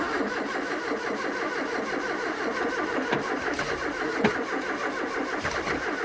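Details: 1980s Ford XR hot hatch left in a Kent garden for 25 years, first start attempt with fresh fuel plus additive and no throttle: it catches on cranking but fires unevenly, pulsing and stumbling without settling to a clean idle.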